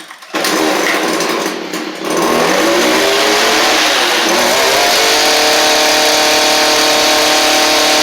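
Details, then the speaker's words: Stihl string trimmer after fitting a Hipa replacement carburetor: fires and revs cleanly to a steady high buzz without bogging; previously bogged whenever given throttle, new carb fixed it. "So, uh, that fixed it. It was bogging down whenever you tried to give it gas beforehand."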